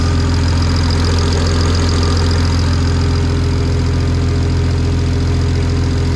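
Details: BMW N54 335i single-turbo conversion, first start, coolant leaking: rough idle with steady puffing tick about three a second over deep rumble, turbo spinning; turbo not sealed onto manifold, exhaust leak at turbo-to-manifold joint.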